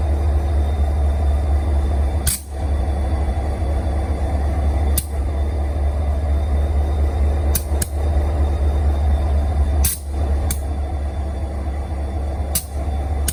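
Deep steady diesel idle with sharp pops every few seconds, irregularly spaced; popping at idle, cause not clear from listening.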